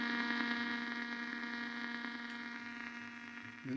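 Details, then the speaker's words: Blaupunkt Arkansas tube radio after tuning capacitor repair: steady hiss with constant low hum, louder at one end of the band, no station anywhere. "it's getting louder as I get to this end of the band but it's not picking up anything destroy no way I can hear the hiss it's louder at one end"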